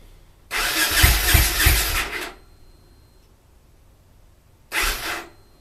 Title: TENERE NO START